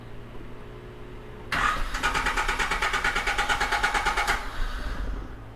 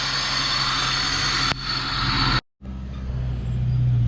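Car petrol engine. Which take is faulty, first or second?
first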